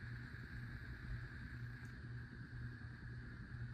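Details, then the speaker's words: 52-inch white Hunter Pro's Best ceiling fan at medium speed, on a single switch, not a dimmer: quiet steady hum with faint pulsing drone; owner blames a bad capacitor, which also makes medium and high the same. Slight wobble, blade possibly warped. "This fan sounds like it's on a dimmer switch, but it's actually not. It's on a single. It's on It's not a dimmer switch, but the reason why it's buzzing is because it's on a bad capacitor."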